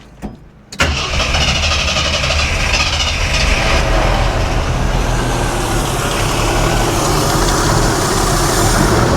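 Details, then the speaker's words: 1982 Jeep Scrambler, first start on newly fitted Motorcraft 2150 carburetor, fuel pressure 5; throttle may need adjustment. Short crank, catches and settles into steady even idle without stumbling; healthy. "Wow. To start with, that's uh that's pretty good."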